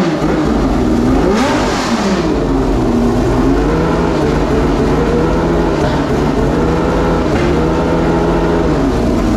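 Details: Homemade V12 race engine, after several months' storage for the 2024 season, catches and revs in clean, even sweeps, pitch rising and falling smoothly with throttle, no stumble; runs properly.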